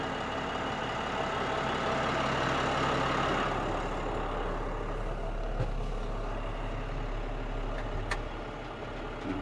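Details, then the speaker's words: Rebuilt Muncie TG Series PTO on a dump truck, driving the hydraulic pump as the bed rises: steady low engine drone with a smooth, even pump hum and no whine or chatter; PTO and pump sound healthy. "input shaft starts spinning the trans again and pto's engaged and this one here you hear the Hydraulics working"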